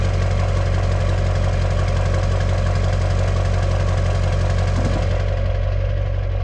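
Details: 2002 2500HD 6.6 LB7 Duramax diesel after fitting a new 4-inch downpipe-back exhaust to fix a front leak and a cracked muffler: deep, steady idle with an even beat and no ticking leak or rattle.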